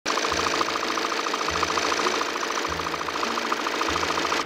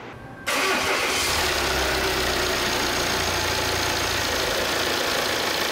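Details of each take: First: 2018 Volvo XC90 diesel, 137,292 km: light, fast rattle about three per second from low down riding over the idle clatter; worn crankshaft damper pulley rubber. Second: 2018 Volvo XC90, 137,292 km, after replacing the timing belt and off-centre crankshaft damper pulley: engine starts and settles into an even, quiet idle with no knocking or clatter; noise gone.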